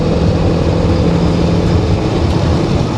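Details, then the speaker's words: 1984 Chevy C20 after carburetor cleaning, accelerating on the road toward 65 mph: steady deep pull with no pops, spits or stumbles, where before it spit and sputtered. "no spitting and spting"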